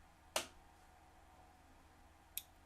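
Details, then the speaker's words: Omron H3CA timer after resoldering connections and ceramic oscillator: two crisp single clicks about two seconds apart over a quiet room; relay switching cleanly. Normal relay click. "See if we can hear the click. And yes, I do hear the click. That is perfect."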